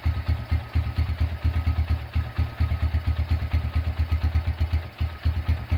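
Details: Restored Honda Tiger engine, first start after rebuild and broken exhaust bolt repair: steady even low single-cylinder thumping at idle, no knocks or rattles; runs smooth as hoped.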